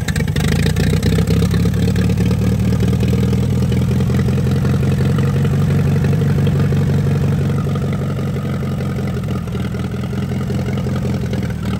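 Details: 1945 Allis-Chalmers WD 4-cylinder gas tractor, sat for years, after clearing a rust-filled fuel line: steady low-pitched engine beat, slightly uneven at first, then settling into a calmer idle, running normally now fuel reaches the carburetor.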